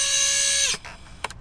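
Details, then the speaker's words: FPV quad with preproduction motors at about 90–100% throttle on the bench: piercing, steady high-pitched whine with harsh buzzy edge, cutting out as throttle drops; all motors obnoxiously noisy. "Look how bad that is. You can hear it. It's really loud, right?"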